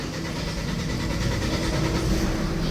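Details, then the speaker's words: 2014 Hyundai Santa Fe with push start, after repairing a no-crank, no-start fault: the engine catches promptly and settles into a smooth, steady idle with no stumbling, no check-engine light, and a rescan shows no fault codes. "Ayon. Bale po wala po siyang check engine."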